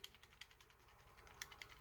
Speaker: when i use it on the shaft of my hair if you can hear it now it rattles if i hold onto the silver bit which i thought might have been a bit loose which it isn't